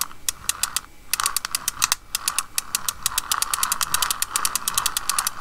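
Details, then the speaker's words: Shimano TLD 15 lever-drag reel, turned by hand before its rebuild: rapid sharp clicks over a gritty grinding rasp, stiff and not smooth; suspected worn bearings. "hopefully you can hear what's wrong that's increase fall you hear a bit of a grinding and if you can hear that"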